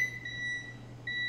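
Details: Small Electrolux microwave power relay tested on the board with a continuity meter: a clear high beep drops out briefly, then sounds again when the relay closes as the oven is switched off and on; the relay is opening and closing correctly.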